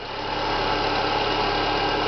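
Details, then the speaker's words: Renault Clio 1.6 16V with K4M engine at idle, constant rough whirring hum over the engine near the alternator pulley region: characteristic bearing noise, suspected tensioner or water pump bearing, to be isolated by removing the accessory belt. "o barulho que a gente tá que o cliente escutou eu também T escutando é um barulho característica de rolamento não sei se vai pegar no áudio da câmera aí"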